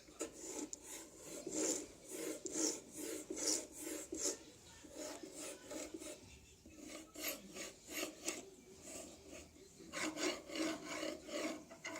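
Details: Anet E10 3D printer axis travelling back and forth with quiet, dry rasping strokes about every half second, from rough, worn linear bearings.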